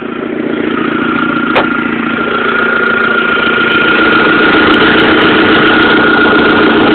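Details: 1.8T at steady idle with a quick, even ticking about three to four per second; owner is pretty sure it is an exhaust manifold leak, source not confirmed.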